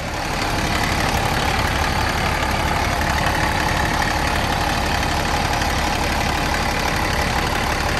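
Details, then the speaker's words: Old International dump truck diesel, parked about 15 years, fires up quickly on restart and settles into a steady, even deep idle with no knocks or misses, 60 psi oil pressure; running really good. "i was not expecting to fire up that fast relatively uneventful and it sounds like it's running really good"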